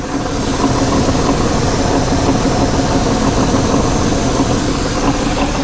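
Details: 1985 GMC Sierra 1500 just after the number-four pushrod was reseated and the valves adjusted, some vacuum hoses still disconnected: loud, rough-edged but steady idle with no valvetrain knock or tick. Healthy idle; before the repair the truck shook when throttled.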